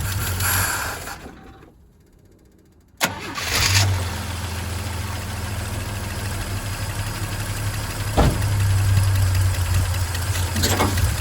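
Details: Old Chevy straight-six truck with a one-barrel carb, running from a one-gallon can with a dry fuel filter, cold-blooded by nature: short crank, pause, then it catches into a steady slightly uneven idle; hard starting. Cause not confirmed.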